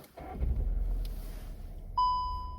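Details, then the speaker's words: Škoda Octavia A8 with DSG automatic: gearbox warning chime after a start attempt with the selector panel removed and the yellow release cord pulled; faulty selector lever puts the transmission into emergency mode, rollaway danger, P position impossible; handling rattle then one fading chime. "Аварійний режим коробки передач. Ану ще раз. Небезпека скочування."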